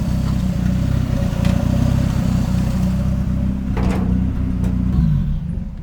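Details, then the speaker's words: 1989 Toyota Corolla small body, engine warming up after a hard start and backfiring; revving gives an uneven, stumbling beat with dropped pulses that persist as revs rise and fall; the owner suspects an electrical problem behind the persistent misfire. "May problema na talaga sa kuryente nag-backfire [Musika] [Musika] palyado na s try natin ikot"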